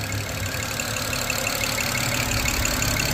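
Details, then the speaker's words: 2007 BMW 335xi twin-turbo inline-six AWD, revived non-runner, possibly low on old fuel: light, quick ticking over steady idle about three per second, top-end tap; owner guesses one noisy lifter, unsure. "Just have that one super noisy lifter, I'm guessing. Not really entirely sure what that is."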